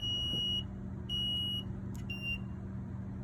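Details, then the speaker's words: Rheem hybrid heat pump water heater beeps about once a second in a high piercing tone over a low hum, showing error A108 condensate blocked; the condensate drain line needs unclogging. "it started sounding off an alarm and displayed error code a108 condensate blocked unclog line"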